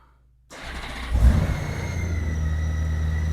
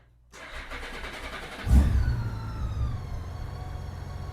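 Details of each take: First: 2008 Honda GL1800 Goldwing after new battery (12.88 V) and synthetic oil change: brief crank, catches at once and settles into a smooth, even idle; starts much faster, charging 14.66 V. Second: 2008 Honda GL1800 Goldwing after an oil change with the old battery due for replacement: sluggish, labored cranking before it catches and settles into a steady idle. Slow cranking, battery suspected.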